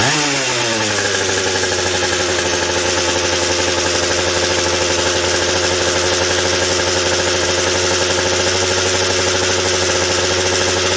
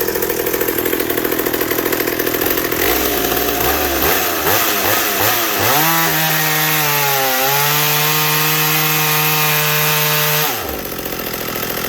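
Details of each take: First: McCulloch 790 chainsaw with a McCulloch MC101 kart engine, a new header and pipe, and a 3D-printed carb adaptor and intake gasket, at first fire-up: it snaps up to a steady screaming pitch without four-stroking; the carb can't feed enough fuel at high speed. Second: McCulloch 790 chainsaw fitted with an MC101 kart engine, custom header and pipe, 7-pin sprocket and semi-chisel chain, cutting oak: high-revving two-stroke pulls down a touch into the cut, holds strong steady pitch, then frees up; running healthy.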